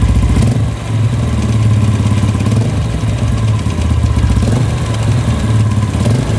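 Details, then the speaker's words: Yamaha Vega R New at idle: a fast metallic "klak klak" clatter rides over the engine beat. Loudest at the clutch, traced to a loose clutch housing with looseness in the clutch assembly. "ya jadi bunyinya itu klak klak klak klak klak klak klak klak klak laki-laki itu temen-temen apa penyebabnya dan masalahnya dimana oke ya kita analisa dulu menurut saya ini di bagian kopling kalau kayak gitu karena paling terdengar itu di bagian kopling dibanding bagian komponen lain itu"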